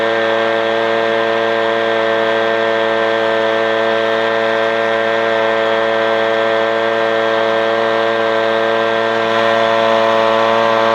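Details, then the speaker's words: Echo PB-250LN two-stroke leaf blower at full throttle after opening the hidden high-speed carburetor screw under a brass plug below the primer bulb: steady, high, even buzz with no surging or sag; runs faster and stronger than before. "I opened up that high speed adjustment screw the engine started running faster you saw me blowing leaves seem to be a little bit better than what we had originally"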